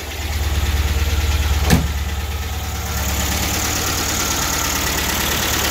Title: MGB GT cold running - tapping noises